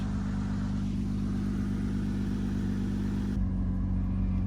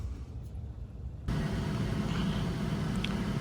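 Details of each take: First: 2007 Saturn Vue 3.5 V6 (Honda), 5-speed automatic, AWD, 359,000 miles on original exhaust: loud, deep, raspy drone with coarse low rumble at steady speed; exhaust leak where pipe bolts to next pipe, rusted away, before replacement. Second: 2007 Saturn Vue 3.5 V6 AWD at 359,000 miles, idling after the rusted exhaust system was replaced and a broken manifold stud drilled and tapped. Warming up before final bolt tightening; low, steady rumble with no ticking or puffing leaks. Normal idle.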